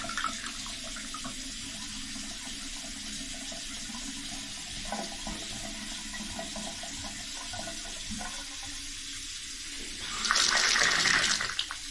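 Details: Upstairs toilet, sink and tub sharing one stack, after snaking the clogged toilet line and rebuilding the flange with a waxless seal: steady running water with a toilet flush swelling near the end, draining smoothly without gurgling; leak to ceiling stopped.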